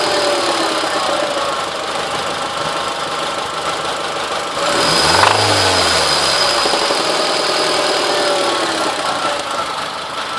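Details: 2002 Honda Civic EX idling: steady knock about four times a second; suspected rod knock from a worn rod bearing, unconfirmed.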